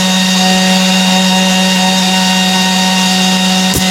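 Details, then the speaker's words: IGBT PWM inverter welding machine (Smart Welder) repaired for lost output, open-circuit voltage 57 V, set to 20 A: steady crackling arc hiss with a firm hum, stable arc under load; welding normal after repair. "Oke, sudah sip. Masuk jos."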